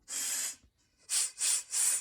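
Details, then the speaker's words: 2003 Ski-Doo 550 Fan Grand Touring that will not run and dies: air blown through the fuel line and carburetor with main jet removed gives four free, unrestricted hissing puffs, so no internal carb blockage. "You can hear me blowing through it. So we know we don't have any internal blockage inside the carb."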